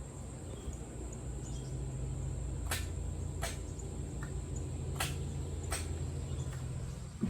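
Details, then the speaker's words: 2015 Honda Civic push-button start: sharp uneven clicks under the hood over a low hum, no cranking; intermittent no-start traced to a failed starter, which was replaced. "so I do think this might actually be starter or starter relay related I don't know if you can hear it clicking let's see if I can hold the phone out so you can listen to it"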